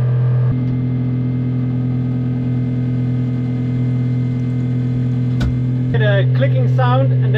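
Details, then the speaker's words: Schenker ZEN 30 watermaker on a 33 ft sailboat, valve closed building pressure to 6.5–7.5 bar operating range: steady pump hum with even clicking about four times a second from the Clark pump energy recovery system cycling; normal operation. "I'm gonna close the valve and now we're going to build up some pressure all right so operating pressure should be a between six and a half and seven and a half bar"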